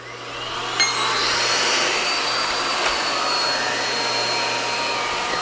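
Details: Miele U1 S7 (S7000) upright vacuum during service: steady, even motor whine holding one pitch with no rattles, surging or grinding; running healthy.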